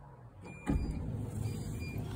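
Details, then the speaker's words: VW Sharan electric sliding door, which earlier would not open: after resets and adaptations failed and a fuse was pulled, a soft thump and smooth motor hum as the door draws itself shut without grinding. It now works normally. "Un izraudu drošinātāju, un pat pēc tam bez kādām adaptācijām viņš ievelk smuki vietā, tā kā, nu, dažreiz tās brutālākās metodas ir tās labākās."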